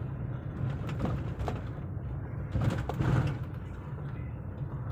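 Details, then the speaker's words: 2006 Hyundai Santro at 60 km/h test drive after suspension bushes replaced (old ones were worn, causing noise): even low cabin rumble, only soft thuds over bumps, no clunks or rattles; suspension quiet and healthy. "तो guys मैं अभी हम लोग चल रहा है 60 की speed से कोई आवाज नहीं आ रही है गाड़ी में"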